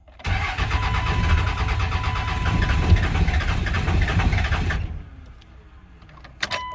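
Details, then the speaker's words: 1999 Cummins 24-valve diesel, first start after 2+ years sitting, injector lines still loose from bleeding: catches and runs unevenly with lumpy stumbling beats, then dies; rough running from loosened injector lines. "We'll let that pump run one more time, and it's gonna run like shit because them injector lines are loose, so it's gonna sound bad."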